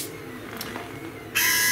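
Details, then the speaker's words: 2005 BMW R1200GS, ABS brake flush done without a scan tool: front brake lever squeezed to activate the ABS pump while the front bleeder is open; after a quiet start a loud, steady high-pitched electric buzz holds evenly, normal ABS pump operation. "squeeze the front brake activating the pump track this open let some fluid flow through"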